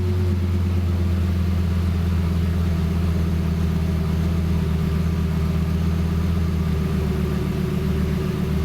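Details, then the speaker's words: Lamborghini just flashed with a new calibration on its engine management unit: deep, steady idle with even rumble, no misses, knocks or hunting; engine running smoothly. "now if I turn the car on god that sounds so good it sound so awesome"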